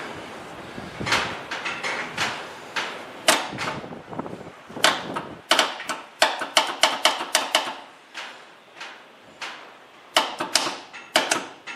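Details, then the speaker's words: 1954 Ford Skyliner, first start attempt after carburetor rebuild with fuel bowl primed: quick string of sharp, uneven clicks with no cranking; starter solenoid failed, and after replacing it the starter itself is suspected to be failing. "What in the hell? Our solenoid is apparently no longer working."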